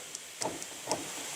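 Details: 2017 Nissan Altima door locks: several short, crisp clicks in quick succession over quiet hiss as the rear lock actuators snap over cleanly on unlock, while the front actuators do nothing; rear actuators operate normally.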